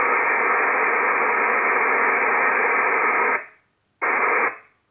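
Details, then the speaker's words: Icom IC-7300 transceiver, no antenna connected, audio at maximum: steady loud hiss unchanged as RF gain swept to maximum, then cut off; internally generated receiver noise that RF gain and attenuator cannot reduce. "this is maximum RF game nothing no effect the noise is still there"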